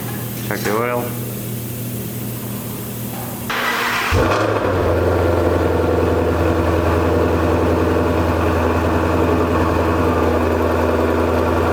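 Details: Front-end-damaged 2016 Ford Mustang GT350R after an engine oil leak repair. Starter spins briefly, engine fires near four seconds and settles into a steady, even idle with no knocks or misses: normal idle.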